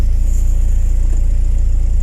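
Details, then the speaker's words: VW Passat B3 with 2E engine: low steady even idle rumble with no knocks, jerks or hunting, engine sitting still and running smoothly. "Двигатель стоит там, неподвижный, как бревно. Работает плавно, без рывков и зависаний."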